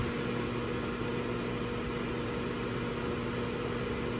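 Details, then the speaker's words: New KitchenAid microwave hood combination (KMHC319LSS00, made Sept 2023), six-speed vent fan run uninstalled: at speed five a steady low electrical hum from the fan motor rides over the air rush, loudest at speeds 3–5; source undetermined. "but listen to the extra hum that kicks in when I go to speed five you hear that I hope it comes through that extra hum is still maintained pretty prominently at speed"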